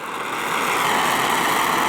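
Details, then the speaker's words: Oxy-acetylene torch being adjusted for brazing sheet metal, oxygen opened too far: harsh, loud roaring hiss, steady and sharp-edged with no low rumble; an oxidizing flame with too much oxygen. "You don't want to go too far with it. You'll end up with an oxidized flame, which is, you can hear it"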